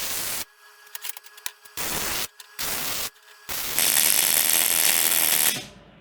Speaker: that sound a little too crackly to you? Get a lot of spatter. Maybe a little more wire speed, maybe?